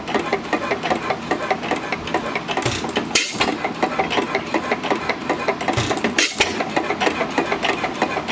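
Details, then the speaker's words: Small engine on a homemade buzz coil, at the slowest speed it has held: light regular ticking several times a second, steady with no misses; normal slow running. "this is the slowest I've actually gotten it to run is right now today at least"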